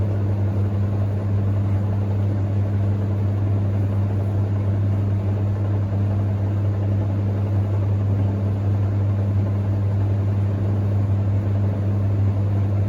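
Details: Hoover Ecologic D6722 reversing tumble dryer, after being taken apart and de-fluffed internally, test run with lid on and heating up: steady even low hum as the drum turns, no knocks, scrapes or squeals; smoother than owner's older one; normal running.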